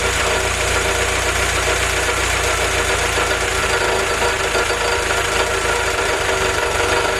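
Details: Willys F-head four-cylinder (snow blower jeep engine), first run on newly installed Weber carb replacing troublesome Carter YF, 180 thermostat: warm, steady smooth idle with even beat, no knocks or misfires; normal idle.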